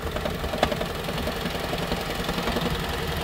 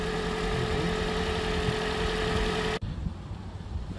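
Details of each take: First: Toyota Prius 2012 petrol engine on cold morning start, knocking unevenly and shaking rough; the noise goes away shortly after. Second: Toyota Prius 2012 engine at idle after the fix for a strange morning cold-start noise: steady, even idle with a faint constant tone, no knocking left after warm-up; normal idle.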